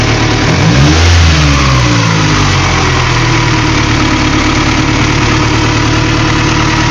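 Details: Honda B16A engine with J1 transmission, idle problems, owner says motor shot; revs up sharply then settles into loose, uneven idle with faint irregular knocking: erratic idle, cause not identified.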